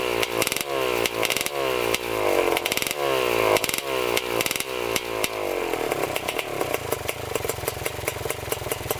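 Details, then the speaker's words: 1987 Kawasaki Tecate 4 250cc two-stroke quad, first start, air box and exhaust silencer off: raspy crackles and uneven burbles, blips then a lumpy idle, loading up. Running rich. "So she runs, definitely running rich for sure."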